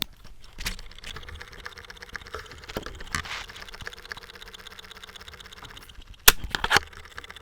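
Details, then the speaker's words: Sony Walkman WM-FX373 cassette player with batteries fitted, play pressed: reels don't turn while faint uneven ticking and chugging, about twice a second, comes from the mechanism, microphone held close; the drive belt has failed, fixed by belt replacement. "we got batteries in it press play the reels aren't turning you can hear something chugging away you put the mic in there"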